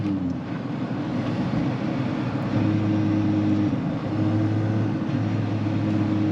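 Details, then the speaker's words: Pontiac Vibe GT with 2ZZ engine and 6-speed, warmed up, after exhaust header porting and exhaust work: an even, low exhaust drone at steady idle. The earlier exhaust noise from up top is gone, so no manifold leak; the muffler is still a bit loud. "not hearing that noise I could hear some sort of exhaust noise coming out from up here and now that's gone and all I hear really is Muffler"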